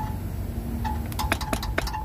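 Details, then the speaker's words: Ford F-150 with a poorly designed lift kit and heavily rusted underside, front differential not held by its mount, diff seal leaking oil: sharp metallic clinks over a low rumble as the loose differential rattles. "es el ruido que se viene esto no se aprecia tanto en el vídeo ok pero este este diseño está muy mal este kit porque pues no está agarrado el diferencial"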